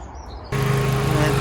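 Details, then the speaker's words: Honda Civic Type R EP3 after replacing deteriorated leaking coolant hose clamps with original-type clamps and topping up fluids: smooth, even idle with radiator fans whirring then stopping; cooling system working, no leaks. "those fans are spinning now as you can hear you see them spinning away there just stop now so that means our cooling system is not affected"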